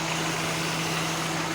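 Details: Kia Pride after carburetor tuning and tune-up for hard starting: short stretch of steady even idle with constant low hum, no misses or knocks; now running normally.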